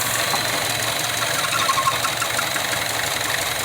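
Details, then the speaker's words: 2012 Chevrolet Cruze, petrol engine idling rough with an uneven stumble and a steady airy hiss: vacuum leak at a faulty PCV valve causing misfire at idle; fix is replacing the PCV valve. "2012 chebbi cruz jugadas de aire en el baile ver el problema está aquí jugar aire y me fire en igual color y este es el problema"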